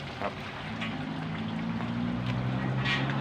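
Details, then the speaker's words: Submersible water pump after capacitor replacement that fixed its loss of power: steady low motor hum building to a constant drone with water sloshing; running strongly and normally. "แต่ถ้าใช้งานจริงก็จะดูดได้พลังมหาศาลเลยนะคะ"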